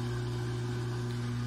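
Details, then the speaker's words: LG WT1101CW top-load washer with IE error: drain pump hums steadily and nonstop as soon as the machine is plugged in and powered on; a sticking control board relay, freed repeatedly over 3 months, now needs board replacement (EBR76262102). "i can plug in the unit here and turn it on and that drain pump is just running continuously"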